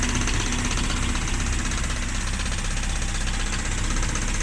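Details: 1994 Mazda Miata at idle: a dull knock at about four per second with a loose rhythm. The owner suspects rod knock; this is unconfirmed.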